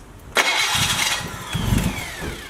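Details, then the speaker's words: Nissan Skyline after replacing its 30-year-old starter: short crank, then the engine fires straight away and settles into a steady idle with clean starter engagement; a vacuum leak is still present. "It started fast. It's working."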